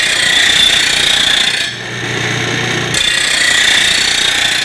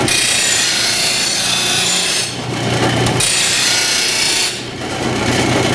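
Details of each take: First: Rotary mower blade on a bench-top stone blade grinder with grinding direction changed so the stone comes up and doesn't pull the blade in: steady, even hiss of stone on steel, no snatching; load set only by applied pressure. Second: Rotary mower blade on a bench-top stone grinder: steady rasping grind over the wheel's hum, swelling heavy then light in passes, as the previously jammed, ground-away blade is pulled into the wheel, giving an uneven grind.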